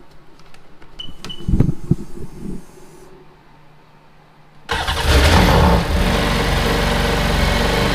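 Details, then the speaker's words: 2003 Sea-Doo RX DI two-stroke, first test fire with the pump removed: cranking clicks, then it fires and roars with a loose clatter from the unsupported drive shaft flopping around. Drive shaft rattle. "i know what that weird sound was and that's because the drive shaft is just flopping around in here"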